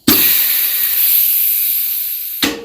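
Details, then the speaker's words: GM 4L60E input drum air test during rebuild: steady even air hiss for about two seconds, cut off cleanly; this is the normal blind bleed, drum seals well with no air or fluid from the check ball and no bubbles around the shaft. "the sound of the blind bleed. That's a nice seal. No fluid or air coming out this check ball, and no air bubbles coming out around that shaft."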